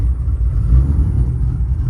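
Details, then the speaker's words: Nissan R32 GTR with 290 Kelford cams, switched from E85 back to pump 100 fuel, awaiting retune: deep, uneven, choppy loping idle that then smooths out; rough especially at low idle and low gear, needs corrections. "there definitely needs to be some corrections made. It's not as smooth as it should be, especially on lower idle and the lower gear."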